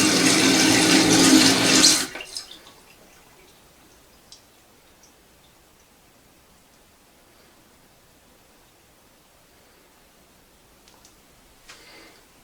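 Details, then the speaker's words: Toilet previously running nonstop with hissing valve, after fill valve replacement and adjustment: water rushes in about two seconds then shuts off cleanly to near silence, no hiss; fill valve working normally. "so yeah there it stops and there's no noise that's how to do it"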